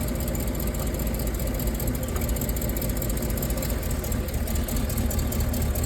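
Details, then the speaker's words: Rolls-Royce Silver Cloud S2 warmed up, plug leads pulled one by one to find dead cylinders: deep steady idle with uneven lumpy beat; two cylinders on one bank misfiring, spark plugs to be replaced, leads possibly too. "So 2 of the cylinders on this side have a misfire."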